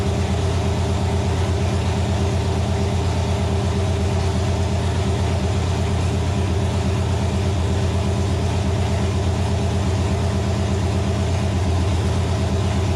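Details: Nova engine, first start on the stand after six months of troubleshooting: loud, steady low rumble with an even firing beat and no knocks or misses. Runs healthy; a gauge suggests a possible wiring issue.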